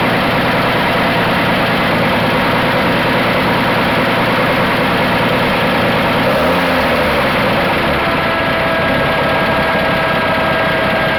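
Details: 1980 Dodge D150 six after idle tuning, at full operating temperature: steady, even idle with a faint high whistle, no knocks or surging; idle slightly lowered and settled.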